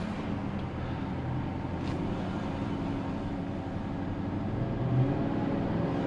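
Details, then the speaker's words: 2015 Chevy Silverado 1500 5.3L V8, first drive with a replacement engine after the original's oil-pressure failure. No trouble codes, driven easy at first; smooth steady drone with road rumble, rising gently with throttle, no knocks or misses. Runs and drives good. "she sounds pretty good she sounds good all right she runs and drives good"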